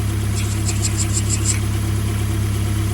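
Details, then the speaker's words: Ford Escort Cosworth during engine build: steady idle with a quick run of sharp high chirps; tensioner backed off slightly, noise reduced but persists, suspected tensioner may need replacing or backing off more; belt chirp at idle. "I backed off the tensioner a bit. I think it was the tensioner. It's still making a bit of a noise, like."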